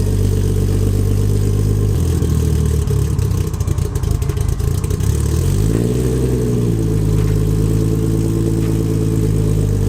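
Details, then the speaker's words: RB25-swapped Nissan 240SX at cold start: rough low idle that sags and shakes until a throttle blip; near stalling, fine once warm. Owner unsure whether the tune or the deleted cold start valve, IACV and auxiliary air valve is the cause. "Here it does that. I'm not sure if that's the tune or because I don't have a cold start valve or IACV or the auxiliary air valve."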